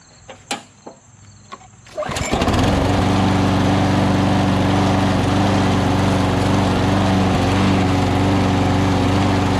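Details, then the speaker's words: Push mower built from a Murray deck with a Lawn-Boy engine, started after assembly; it had hesitated slightly before: catches, then settles into a steady high-speed buzz with slight unevenness, mild rough running, carburetor bowl to be checked, cause unconfirmed. "Awesome. I'm gonna take the air cleaner cover off and drop the bowl, see the condition of the carburetor, see if we can get it running a little bit more smoother."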